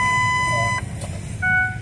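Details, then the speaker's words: 2007 Ford F150 with about 250,000 miles, aftermarket exhaust and noisy knobby tires: steady repeating two-tone electronic ding-dong seat belt warning chime over a quiet cab. "And it's got a bunch of ding dongs and buzzes. Drive me nuts."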